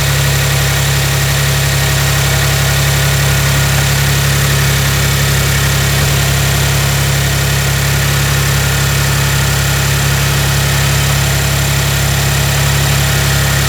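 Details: Maserati Ghibli SQ4, about 70K miles, after serpentine belt replacement: functional test start, steady even idle hum with no squeal or chirp from the belts, engine settles and runs smoothly.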